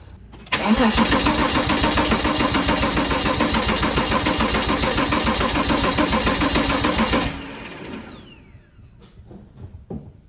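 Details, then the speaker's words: Porsche Boxster 987 during compression test, plugs out, fuel pump fuse removed, fully charged battery, wide open throttle: steady even starter cranking about three and a half beats a second, healthy balanced compression around 270 psi per cylinder. "All right, so let's head in the car and crank it over and see what we get. Remember, wide open throttle for about 5 to 10 seconds."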